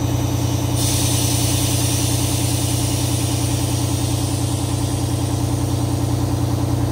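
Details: 1989 Grand Villa two-stroke Detroit diesel idling while the air ride levels: steady drone at about 200 beats a minute with an air hiss over it; healthy, even idle.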